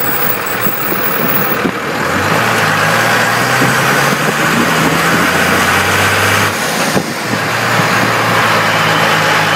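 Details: 1998 12-valve Cummins diesel with 5-speed, phone under truck, lugging at 950-1250 rpm in 4th and power-braking in 3rd. A coarse buzzing rattle sits over the deep drone; cause unknown.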